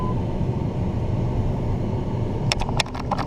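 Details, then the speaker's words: 2005 Dodge Ram blower motor just replaced after heat and A/C failed: steady rush of air over truck idle with no rattle, squeal or ticking; blower running normally. "Okay, so you should be able to hear that the air is coming out."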